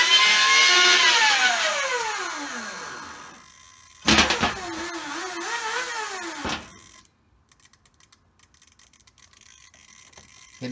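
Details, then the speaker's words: RC car with Castle Mamba X ESC, sensor wire plugged in, after replacing cables, harnesses, motors, battery, receivers, radios and updating firmware: high motor whine sweeps on throttle blips but lags before spinning up; delayed start-up, cause unknown. "giving a throttle it's got this has got this little delay that i can't figure out why even with the sensor wire on"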